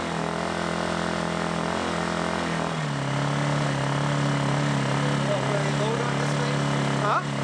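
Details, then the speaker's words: New Lifan ESI860i-CA 40cc gasoline inverter generator, first run after unboxing and topping up oil; steady engine drone settling to a lower even hum after a speed change around three seconds, quite loud compared to a Honda or Harbor Freight unit; normal running. "standard is it's quite loud yes compared to uh just a honda or harbor freight generator this is quite loud"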